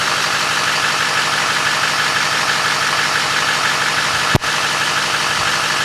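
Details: LMM Duramax diesel at idle after replacing serpentine belt, tensioner and idler pulleys to cure a squeak/chirp: steady diesel idle clatter with no squeal, chirp or pulley whine; belt drive now quiet and healthy.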